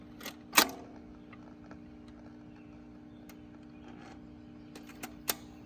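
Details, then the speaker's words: 1964 Montgomery Ward Airline portable record player after changer cleaning and lubrication, playing a 7-inch record; steady low buzz from the speaker under quiet playback with handling clicks, original cartridge and amplifier not repaired. "You can hear a buzz coming from the speaker."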